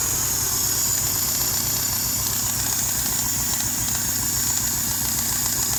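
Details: 2001 Hyundai Tiburon at idle: a steady high hiss over a smooth, unchanging idle while diagnosing where a vacuum leak is coming from; hissing at idle.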